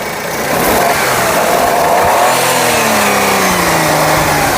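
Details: 2012 Maruti Wagon R used car, engine started and revved by accelerator: climbs smoothly from idle and settles, no knocks, misses or rattles, little engine shake; normal condition.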